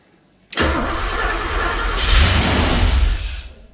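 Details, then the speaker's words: Porsche 928 4.7-litre K-Jetronic V8 (M28/12), idle for 20 years: starter catches and engine fires, steady deep rumble about three seconds before dying; runs on real fuel with low fuel pressure. "that's good news holy smoke that's good news that was running on real fuel"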